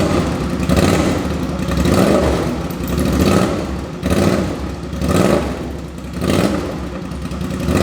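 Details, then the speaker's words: 2005 Suzuki V-Strom 650 with a very low-mileage replacement engine, run with no muffler fitted: an open-exhaust V-twin settles into a loping idle with gentle throttle blips, no knock or rattle, healthy and no drips. "This thing sounds great. Obviously I'm gonna put the muffler on it. It still sounds really good, but that sounds so mean."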